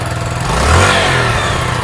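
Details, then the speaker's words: Sinnis SC125 single-cylinder bike just after a cold start, choke off, idle possibly set high. The idle swells, hangs high, then sags instead of holding steady (hunting idle). The cause is unknown. The owner has tried the carb air-fuel screw. "the reps hang as well so there's something strange going on i don't quite know what it is"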